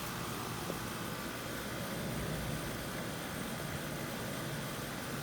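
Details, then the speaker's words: Outdoor AC condenser, choked by surrounding bushes, up and running after bad capacitor replacement on a no-cooling call; steady even rushing hum of fan and compressor, no clicking or buzzing, normal. "I've pretty choked off back there so anyway it's up and running which is all they want at the moment"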